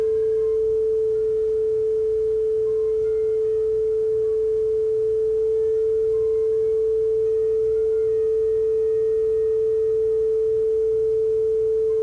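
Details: Yamaha K520 cassette deck: pure steady test tone with no wavering, wow and flutter gone, tape speed stable and close to correct before final speed adjustment.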